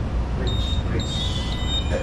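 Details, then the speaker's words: Ship engine room at sea: shaft generator switched to PTH (power take-in, "take me home") mode, running as a motor powered by diesel generators to turn the propeller shaft without the main engine. A thin high beep repeats over the engine rumble. Normal readiness alarm. "the normal. It's normal alarm. It's normal alarm because it's always ready."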